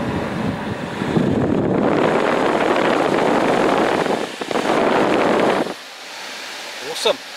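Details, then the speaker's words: 2006 Saab 9-3 HVAC blower motor, after repair: the old motor failed from water entering through a blocked drain, and a new motor, cabin filter and cleared drain were fitted. Strong, even airflow at full fan speed with no rattle; normal operation. "so that's all we did that without the drains clear new pollen fields new motor in there or working happy days"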